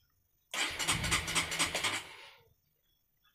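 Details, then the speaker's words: Honda CB150R with a capacitive touch-sensor anti-theft module: ignition on, starter cranks about a second and a half in quick, even pulses but the engine never fires until the clutch-switch rubber is touched. "Oke, matikan kontak, nyalakan lagi, motor pasti tidak bisa dihidupkan."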